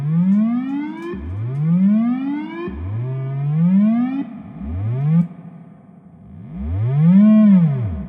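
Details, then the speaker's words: Fender Blues Deluxe reissue 40 W combo, fed a square/triangle test wave: clean sweeping tones rise and fall with reverb tails and no crackle, hum or dropouts. Lots of low end, mids and reverb good, amp working properly. "Mids are good to go. Reverb's nice. Awesome. So much low end."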